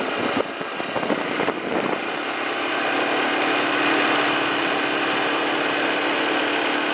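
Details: 2007 Arctic Cat 400 ATV after carburetor cleaning and spark plug replacement: single idles at a steady patter after a couple of blips, no misfire or knock; normal, clean idle.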